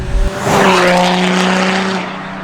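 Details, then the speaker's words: Diesel Nissan GTR, loud steady droning hum with rough squealing edge while slowing; brakes suspected rubbing the disc, not confirmed. "these brakes need to be sorted it sounds like I'm driving a race car"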